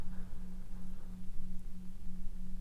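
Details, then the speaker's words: 2006 Mercury Grand Marquis LS, new Torchbeam T2 H13/9008 LED headlight bulbs, heard from inside the car, nothing else running: constant low drone that never changes pitch from the bulbs' cooling fans; noisy LED headlight fan hum. "not sure if the camera's picking that up but that is actually pretty noisy it's like a humming noise"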